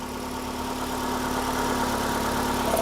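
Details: 2012 Ford Escape 2.5L 4-cylinder with a P144A EVAP code, idling while the purge valve is tested: smooth, even idle with a steady low hum and no misses or knocks. Normal idle.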